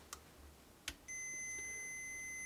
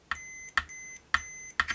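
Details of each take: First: Jaguar bass with hum problem: a couple of faint taps then a steady high tone over a second, the continuity tester confirming wiring is connected; hum traced to the treble boost amplifying existing noise. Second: Jaguar bass body cavity with conductive shielding paint: four short, steady high multimeter continuity beeps, each starting with a probe click, showing the paint conducts, though the cavities aren't joined and the shield paint isn't connected to ground.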